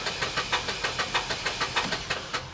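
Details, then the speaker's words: Vandalized repossessed Toyota Corolla cranked on a booster pack: uneven cranking at about five beats a second with a hissy puff each stroke as compression blows out. A thrown rod or cracked block or cylinder is suspected. "You can hear that there is compression literally blowing out of the engine somewhere. I mean, you can you can hear the compression blowing out of the engine on this."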